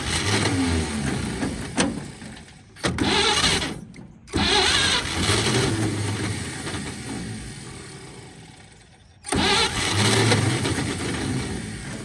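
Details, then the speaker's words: 1946 Chevy boom truck engine, sat 35 years, previously water-filled and locked up, fed by pump-sprayer fuel and ether; long cranking with brief catches that rise then fade; fires momentarily but won't keep running, owner thinks it ran out of fuel. "I think she ran out of fuel once she got going."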